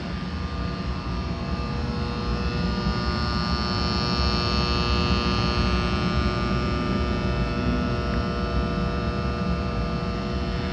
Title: 3A. Dallas New Build Heat Pump Noise